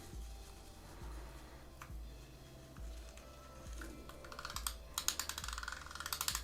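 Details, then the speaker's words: Abu Garcia Revo4 X-W-L baitcaster after a drag clicker was installed: sparse ticks speed into quick, crisp runs of clicks as line pulls off, and the drag stays adjustable. Normal drag clicker operation. "That clicker is back on as well. Do we still have the drag? Yeah, we have the sound. Can we adjust the drag though? Nice, the sound improved as well. It's quite nice actually, very nice. Very like clicky, awesome."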